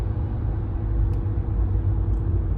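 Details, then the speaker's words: 2015 Renault Megane 3 1.5 dCi diesel, on the road coasting off throttle: steady low hum droning under road rumble; fuel returning through the stiff original fuel return hose causes it, fixed by a softer hose. "an ciddi bir ultu sesi var gaz vermiyorum"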